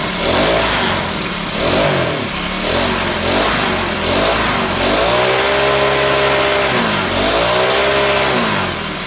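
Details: Troy-Bilt four-stroke backpack blower after Seafoam was added, choke off: it wavers up and down, surging, and sounds a bit rich. The owner says it is not running perfectly, distrusts the filter, and has a replacement carburetor ordered; the cause is unconfirmed.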